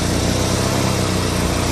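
Steady low even idle with smooth exhaust note, no puffing or ticking from a leak; exhaust sounds sealed and healthy.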